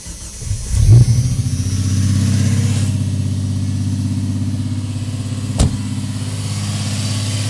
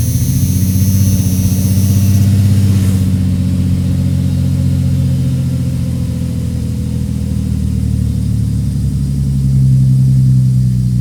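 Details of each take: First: 1989 Jeep Cherokee XJ, Renix-era 4.0L, cold start: engine catches, then settles into a fast, steady, high idle of about 2,000–2,500 rpm; faulty idle air control valve, cleaning didn't fix it, being replaced. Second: 1989 Jeep Cherokee XJ 4.0L (Renix) cold start after air idle control valve replacement: short high rev then settles smoothly to low even idle, no hunting; previously idled 2,000–2,500 rpm for up to a minute; high cold idle fixed.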